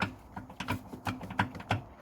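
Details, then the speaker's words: 2015 Ford Mondeo Mk5 offside rear suspension, shock absorber wiggled by hand from underneath: irregular dull knocks and clacks as the damper rattles loose in a failed top mount, suspected cause of the rear rattle. "that is the shock absorber and all I'm doing there is I'm wiggling the shock absorber in the top mount so I think the top mount has actually failed and letting the shock absorber rattle around um it's really bad"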